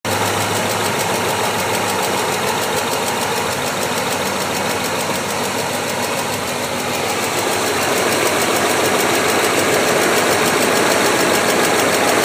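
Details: BMW S62 V8 at idle: quick steady tick about three per second over the engine; ticking fault, source not yet pinned down.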